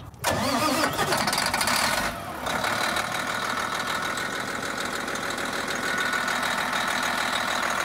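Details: Bus diesel engine on first start after a water pump replacement, checked for coolant leaks: fires up promptly and settles into a steady, even idle with no knocks or odd noises. Normal start and idle.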